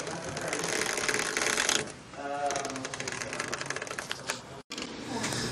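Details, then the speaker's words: 2017 Hyundai Accent: brief rubbery creak-groan from the front when turning the steering wheel, caused by a dry front suspension rubber mount; fix is spraying lubricant and white lithium grease on the rubber nubs. "when you turn your wheel you know you're going this way or this way and you hear you hear that creaking in the front I'm going to show you what it is this is this rubber mount right here these are what was causing my noise"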